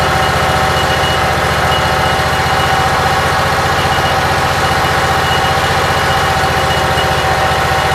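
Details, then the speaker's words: Briggs & Stratton Vanguard single-cylinder with Briggs carburetor, cold, about 50°F, just after rewiring, charging about 13.3–14 V: steady even beat, no misses, knocks or surging; normal idle. "Everything seems like it's working. I have no complaints. Runs pretty good."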